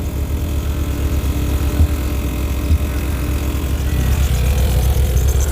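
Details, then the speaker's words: Skoda 120 16V with Rover K-series engine after running work: fairly even low idle, steady pulse, no knocks or misses, running much better than before; fuel pump running low on fuel. Normal idle. "that's running better than it was a lot better than it"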